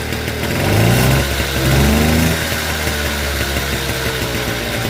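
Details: Motobécane AV42S moped, original setup, after hot-start fault fixed with new complete ignition coil and metal plug cap; two-stroke buzzes up in pitch with blips then settles to even idle, ignition firing properly; normal running.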